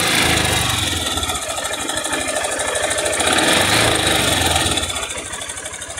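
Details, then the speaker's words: Small 660 motorcycle single revved, light quick metallic rattle like a rattlesnake, about three per second; top cover removed to inspect, owner initially suspected something else; hinting at piston skirt slap. "Eu quero que vocês diga para mim que barulho é esse, o que que tá batendo nesse 660. Já vai colocando aí nos comentários. É tipo um barulho de cascavel, tá?"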